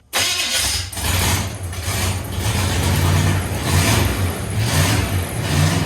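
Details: 1969 Chevrolet C10 truck V8, junk carburetor not getting any gas, fuel poured down the carb: engine catches and runs unevenly, surging and sagging with no steady idle; carburetor not supplying fuel.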